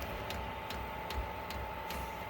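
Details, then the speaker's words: Diesel heater after a teardown and soot cleaning, being reprimed with air still in the fuel line: even pump ticks about every 0.4 seconds over a steady fan tone as the igniter tries to light. It flames out from too little fuel and then retries in a normal start-up cycle. "It's trying to light. Fire itself up."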